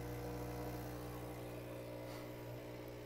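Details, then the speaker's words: Profitec Pro 600 Quick Steam Plus dual-boiler espresso machine, first startup filling: vibration pump gives a steady buzzing drone with an uneven pulse, as if gulping air; air bubble in the vibratory pump, common after shipping or draining. "What? I think I just got a little air in there. Okay. It's not uncommon with a any vibratory machine, vibratory pump machine, uh during shipping, uh if you've just drained it or something like that, you can get a little bit of air bubble inside the pump."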